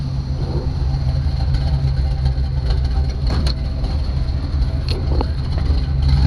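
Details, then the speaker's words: 1966 Chevy truck idling after an oil change with a better filter, oil pressure up and no leaks; loud, deep exhaust with an even, steady idle and no misses or knocks, healthy engine, just a noisy exhaust. "boy this thing's loud i'm sure the neighbors love me"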